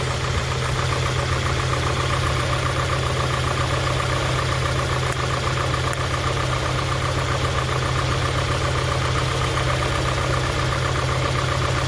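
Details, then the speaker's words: 1991 Honda Prelude Si after new NGK plug wires and plugs: low, rough, surging idle that shakes and feels about to stall, a misfire persisting; injectors tick normally, so cap and rotor replacement is hoped to fix it. "A rough idle, shaking very. It feels like it's about to stall is what's happening. Damn, misfire."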